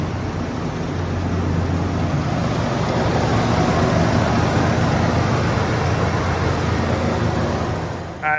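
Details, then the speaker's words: 1994 Ford F350 5.8 V8, 4WD, 154,000 miles, with a known serious oil leak, running indoors: a deep, steady rumble holding an even, unbroken beat with no knocks or misses; running healthy. "got to shut it off cuz I'm inside doors are closed and it smells terrible so Run's good right now"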